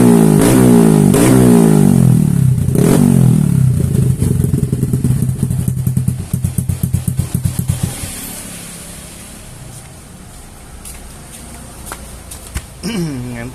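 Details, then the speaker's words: Bored-up scooter engine with Nmax piston, valve reliefs cut in piston, run-in completed, throttle blips: crisp clean rise and fall, settling to a light idle, no knocks or rattle; healthy fresh engine. "baru saya berani buat videoin buat digeber-geber karena kalau Blon in Ryan pasti kan entar susah untuk digebernya entar gancet lagi"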